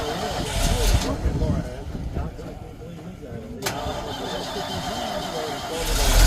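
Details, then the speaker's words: Old Ford F600 farm hay truck with a 370 engine, at a farm auction after being driven out: fires up promptly and settles into a steady, even, low, strong rumble with no knocks or misses. Normal start and idle. "All right, guys, you heard a fire up right there. Sounds good, strong."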